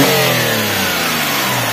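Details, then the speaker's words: Daihatsu Xenia 1.0 VVT-i at operating temperature: clean throttle blip, revs rise and fall smoothly back to 900 rpm with no hesitation, rattle or misfire; normal revving. "langsung turun nah yo langsung turun 900 lagi Oke gitu ya"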